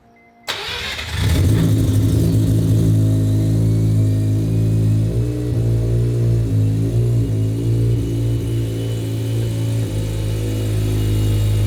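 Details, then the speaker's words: 700 HP 2200 lb Mazda RX-7 rotary on primary injectors only, throttle bodies closed, untuned back-to-back test: catches and settles straight into a smooth, stable, steady low burble idle, slightly high and a little rich; normal idle. "That sounds absolutely different. Would you agree? Yeah, no, that sounds normal. That's a completely different car. She's stable."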